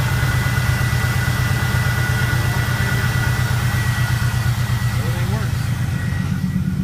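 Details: 1998–02 Camaro LS1 V8 test-fired just after an alternator replacement: steady, even idle with a faint constant high tone from the belt drive, no squeal or screech; the belt is running true.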